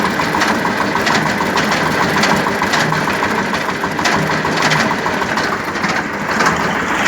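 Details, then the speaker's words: Tractor with PTO engaged under load, driveshaft turns freely by hand: uneven knocks about one and a half per second, owner says not from belts but inside the gearbox; cause suspected, not confirmed. "це не від ремнів іде. Я до ремнів підходив, ремні зовсім не так б'ють. І вони не б'ють. Це іменно в коробці щось."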